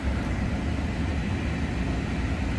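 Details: 2007 PT Cruiser idling and left running to test for stalling after the TIPM replacement, which is the suspected cause of its stalling: steady, even low rumble with no dips, misses or surging; it stays running.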